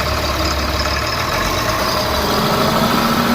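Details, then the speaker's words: Tata BS4 diesel truck after its faulty speed sensor was replaced, following complaints of smoke and knocking under load: an even idle with a steady low rumble, no knocking or hunting and no smoke; it is running healthy. "अब करते हैं गाड़ी start आप देख सकते हैं गाड़ी बिल्कुल ओके और धुआ भी आप देख सकते हैं अब धुआ भी नहीं दे रही है गाड़ी"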